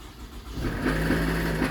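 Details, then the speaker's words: Toyota Alphard ANH20 started up: a harsh, coarse run with a rough drone. The initial diagnosis is a likely broken balancer shaft gear whose fragments block the oil strainer and hamper oil circulation. The balancer shaft, oil and filter are to be replaced. "Suara mesinnya sangat kasar ya. Nah, diagnosa awal kemungkinan balancer shaf-nya udah pecah dan serpian gear balannya balancer shaf-nya itu menyumbat di strainer."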